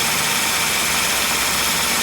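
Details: Ford Focus, 93,905 km, about 10 years old, idling with AC on, 31°C outside: loud constant hiss and rushing over the motor; AC compressor noisy from age, oil and O-ring leaks at compressor fitting, repaired keeping original compressor.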